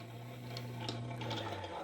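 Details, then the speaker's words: Small hand-crank blower on a coal forge, cranked at an easy moderate speed, enough for forge-welding temperatures: steady low hum with airy rush, spinning smoothly with no scraping or knocking; normal blower operation. "This little hand crank blower is enough to get my coal forge up to forge welding temperatures very easily. I don't even have to work it particularly hard. It's about this speed."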